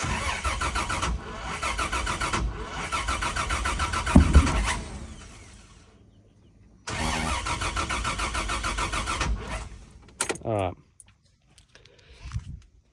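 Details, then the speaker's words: Toyota 80-series with FZ engine, turbo build on new ECU wiring: long cranking bursts with ragged, uneven firing that never catches; timing seems way off, suspected orange and yellow crank and cam sensor wires swapped, to be reversed. "next Theory it sounds like the timing is way off which would mean I've got this orange and yellow backwards for crank and cam so I'm going to try that now"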